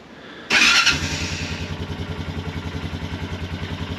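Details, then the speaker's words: 2007 Honda Foreman 500 ATV after replacing the electric shift motor (it shifted poorly when hot): starter catches and the single settles into a steady, even idle with regular exhaust pulses; starts cleanly. "All right, that's a good sign. Oh, she's shift. Oh, first gear, that's good. Nice, it sounds better."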